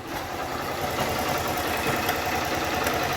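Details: Honda Start 160 motorcycle at idle before repair: quick, uneven metallic "tre tre tre" rattle riding over the engine, about three to four a second, from a worn cam chain tensioner; fixed at home by replacing and adjusting the tensioner.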